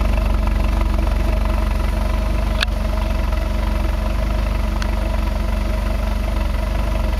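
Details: 2005 Ford Focus 2.0 Duratec at idle just after fitting Autolite AR103 plugs gapped .055: heavy, uneven low rumble with stray taps; rough idle, seems lean, owner suspects exhaust leak, plugged cat or bad O2 sensor; filter, coils, MAF cleaned.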